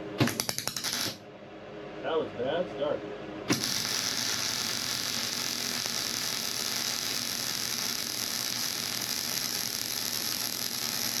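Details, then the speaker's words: MIG welder with wire speed slightly above the chart, at the start of a weld: a rapid burst of sharp snaps and pops, then a steady frying hiss as the arc settles. Crackling, popping arc start. "Now, you can see this is where I first started and it did the snap, crackle, pop deal."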